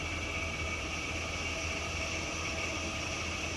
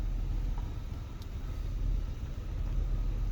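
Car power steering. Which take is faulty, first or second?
first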